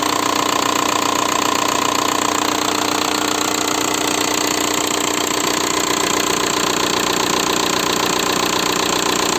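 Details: 1.9 TDI diesel (ALH/AGR/ASV/AHF) idling after an oil change: sharp, even clatter about three per second from worn hydraulic lifters and piston slap. Rings likely burned from 30,000 km oil intervals. Replacing the lifters almost eliminated the knock.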